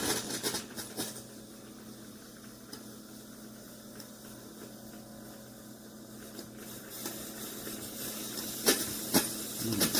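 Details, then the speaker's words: Chefman single-serve K-cup coffee maker with 40 oz reservoir, at brew start; soft steady steam-like hiss with a few clicks, abnormal, then it shuts off quickly with water still left. Cause unknown. "Pretty sure it shouldn't be doing that either. Unbelievable."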